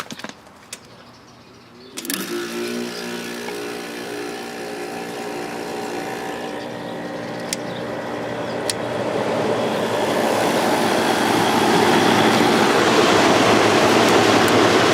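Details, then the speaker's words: GE (Fedders) 10k BTU window air conditioner after cleaning condenser and evaporator coils: steady strong airflow rush with smooth compressor hum after thermostat click; normal running. "Lots of air going through there now. This thing has a real nice sound to it."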